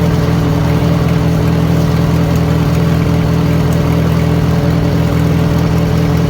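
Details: 1940 Farmall H with M&W 9-speed, medium-high idle during distributor timing adjustment; steady strong low drone, no stumbles or popping. Bad timing was a big cause of earlier poor running; carburetor may need work: smooth running.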